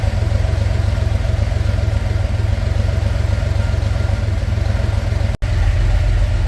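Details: Narrow Gauge Bombardier, after a thermostat and gasket replacement for running hot, held at about 2000 rpm with the heat gauge right where wanted during fine tuning: a steady, even drone with no knocks or misses. Runs healthy.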